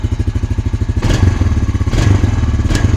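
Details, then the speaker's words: Honda Rancher ATV, 1,400 miles, started after 6 years in storage: even single-cylinder idle then three quick blips picking up and dropping back crisply; responsive, healthy engine, before warm-up. "so responsive too nice I'm going to let this thing warm"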